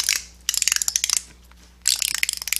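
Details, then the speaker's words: 4T65-E transmission teardown on the bench: two bursts of quick, light, evenly spaced clicks as the ratchet-type forward or third sprag is spun by hand; normal sprag freewheel ratchet. "We have two sprags here, forward and third. They're ratchet type."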